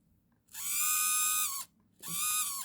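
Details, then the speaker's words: Secondhand Celestron NexStar 4SE mount altitude (tilt) motor, down button, before repair: two bursts of loud high buzzing whine about a second each; dry motor shaft bushing. "I noticed that the motor on the um how can I say the tilt is making a really loud noise."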